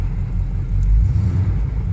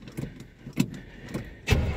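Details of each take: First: 1975 K20 truck started cold at about 22°F after sitting since November, primed: a low, heavy rumble swells briefly, then settles into a fairly even idle as it warms; oil pressure 30 psi, temperature gauge barely rising. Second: 1975 K20 pickup, unstarted since November, in sub-zero January cold with fuel drained back from the carb; a few cranking ticks, then rough, lumpy low-rev running, starved of fuel with no fast idle set; stumbling cold start.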